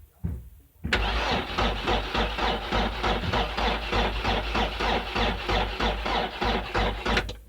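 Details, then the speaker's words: 2002 Mercedes Sprinter 2.2L common rail diesel, sat about a year, weak battery, rail pressure sensor monitored: steady cranking about three compressions a second for seven seconds, never fires; cranks, no start, no fuel rail pressure building. "The battery is weak, alright, but I should see a signal. And I'm not seeing it. So looks like pressure is not being built up."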